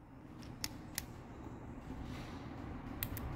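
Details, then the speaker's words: ABS hydraulic unit solenoid bench-tested off a battery, powered by two wires on its coil; sharp, crisp clicks each time the valve is energized — this solenoid's needle moves freely and is good. "Tá ouvindo o barulho? Ó, então essa agulha, esse solenoide está bom."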